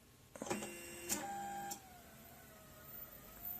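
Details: Chinese Marlin 3D printer with frozen axes: short stepper whines for about 1.5 seconds, then only a faint hum; only one axis homes, others stay still, attributed to burned-out stepper motor drivers.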